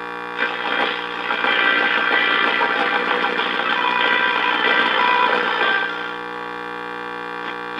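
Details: Early-1950s Viking 53-38ARR tube table radio on an isolated supply, after trying to reform the filter capacitor: after warm-up a constant low buzzing hum sits under faint station voices and does not fade, still not fixed.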